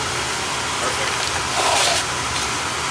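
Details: Oil boiler that was tripping on safety reset, its oil pump found bad internally and pressure set to 140: steady even roar with smooth hiss, no surging or sputtering; burner now firing and running normally.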